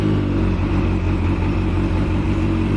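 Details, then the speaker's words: Yamaha FZ8 motorcycle that would not start from the button, after fuses and starter relay checked and a weak 7 Ah battery replaced with a 10 Ah one: steady, even idle with a smooth low drone, no misses or knocks; starts and runs normally. "everything works The whole thing turned out to be just that we need the battery that should stand here"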